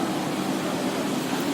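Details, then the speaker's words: Yamaha Vixion 1PA motorcycle: steady low-mid humming drone over the running engine, noticeable when releasing the throttle, from a stator coil starting to burn; humming drone from failing stator coil. "Suaranya kayak ngaung gitu Suaranya kayak ngaung gitu pas dilepas gas bunyi diaaku ya"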